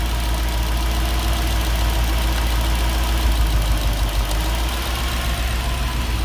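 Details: Nissan D40 Navara with freshly swapped VK45DE V8 (replacing a VK45DD), just started after dirty plug contacts were jiggled clean: deep steady even rumble at idle, no skips, all cylinders running smoothly.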